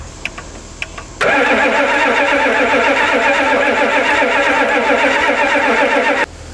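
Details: Ford bucket truck 7.3L IDI International turbo diesel, no-start: starter cranks steadily about five seconds, roughly four compression pulses a second, never fires; suspected bad glow plugs or wiring harness fault after glow plug solenoid.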